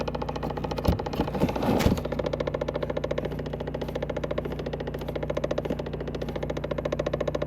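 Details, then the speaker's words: 2010 Chevrolet Impala with the key on and the glove box lowered: rapid steady plastic ticking, about three or four clicks a second, from behind the glove box; a faulty HVAC recirculation door actuator needing replacement. "now i turn the key on just so i can get the noise again i can feel it's this one back"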